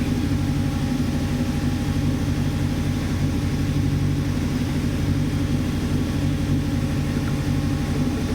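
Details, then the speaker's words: Toyota TA22 Celica 4AGE after ultrasonically cleaned injectors and added fuel system cleaner. Steady low idle with an uneven, lumpy pulse: still rough running. It revs normally with gentle throttle but bogs at full throttle. Cause not confirmed. "you go drink rough now it does actually come good if you gently feed the bottle on it just revs like normal it's only if you plant the foot that it bogs"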